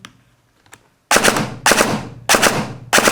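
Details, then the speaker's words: Novritsch SSR9 airsoft gearbox after the motor-height screw was turned back up from too low (loose motor, gears barely in contact): four crisp, clean shots with no grinding, fine-tuned near optimal mesh. "The sound we're looking for is very clean. It should not be shearing"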